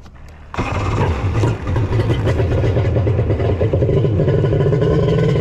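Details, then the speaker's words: Kawasaki 1100 triple two-stroke jet ski (X2), cylinders just bored and engine reassembled: runs but stays flat and won't rev, already sounded weird on the bench; ignition timing set wrong on the Zeeltronic CDI. "okay all right folks it won't rev ah I knew it sounded weird on the bench"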